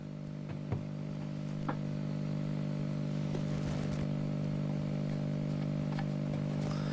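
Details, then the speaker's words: 1944 wartime civilian radio receiver after new electrolytic capacitors, with the output stage disconnected and an intermittent rectifier valve. A steady low hum persists under faint crackles; the cause is unknown, possibly in the IF stage. "we've still got the hum and I think if I put the output vult well if I put the output stage back in it we're um we're going to be back where we started so it sounds like it could well be in the if"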